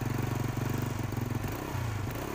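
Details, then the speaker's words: Motorcycle single-cylinder engine after a dead spark plug was revived at the roadside and refitted. Quick, even putt-putt at low idle with no misses. Runs clean; there is no guarantee the plug will last. "ini berhasil hidup ya. Oke. Oke bro, dan motornya atau businya kembali bisa hidup, bisa berfungsi ya."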